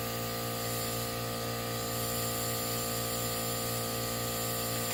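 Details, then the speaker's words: 2016 Land Rover Discovery Sport 2.0L turbo petrol, failed engine, VVT actuator and timing fault; leak-down test reads 35, steady hiss of escaping air: cylinder leaking past a valve, carbon buildup versus bent valve being checked. "That is no bueno. 35. Gosh. You can hear it leaking out."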